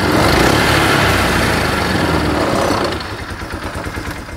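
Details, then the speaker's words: Polaris 500 side-by-side, water had been in the exhaust, after idling a few minutes to dry out and reach operating temperature: strong even running settling to smooth steady idle, no misfire or knock; running great, normal idle. "so after sat here for a few minutes and run it's running great"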